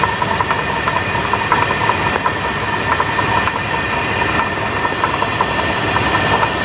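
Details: 2000 Jeep Grand Cherokee 4.7 V8 at steady idle with a light, loosely timed upper-engine knocking, plus some chirping and squealing; cause not clear.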